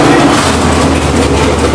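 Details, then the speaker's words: GM ZZ6/604 (CT400) circle-track crate V8 with headers and carburettor, running on a test stand; loud, steady deep roar with an even beat and no knocks or ticks, gauges and oil pressure normal, running clean and healthy. "the purpose of this video is to demonstrate that this motor runs just fine"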